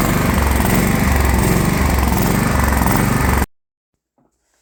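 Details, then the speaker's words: DR all-terrain brush mower with Kawasaki FV420V engine, revived after sitting for years, runs steady and loud then abruptly cuts out; stalling, cause unknown, ran fine again the next day. "I need to build a brighter Bridge though tell you that much it ran fine and then it didn't"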